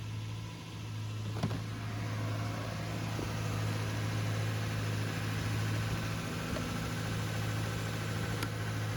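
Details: 2007 Lexus LX470 V8 after timing belt kit, water pump, thermostat and fuel level sender replacement, first start warming up: smooth, quiet idle with even low hum, no ticks or rattles; normal idle.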